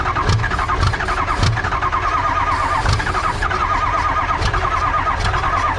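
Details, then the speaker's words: Cranks steadily with occasional attempts to fire but no injector clicks audible; ICP and fuel pressure are present, and a fuel injection control module performance code is stored. Cause suspected, not confirmed. "i'm not really hearing the injectors click where if huh normally you could hear the injectors click click click i'm just not really hearing it but it's trying to fire"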